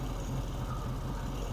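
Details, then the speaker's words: Volkswagen Beetle flat-four idling after new spark plugs replaced badly smudged ones; it struggled a little to turn over, then fired: low, steady loping putter with an even beat and nothing odd on top, a smooth healthy idle. "I figured about it was gonna be dead and then it struggled a little bit turnover but then it busted right off"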